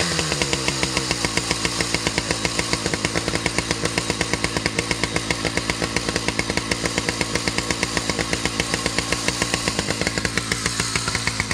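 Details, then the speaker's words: Husqvarna 2100 CD 100cc two-stroke chainsaw, 32-inch bar: fast steady popping that never settles to slow idle; idle set a bit high so chain keeps moving at idle, runs a little rich. "so she's idling a little bit high which is why the chain continues to move while the saws at idle also runs a little bit rich you could hear it when I wrapped it out"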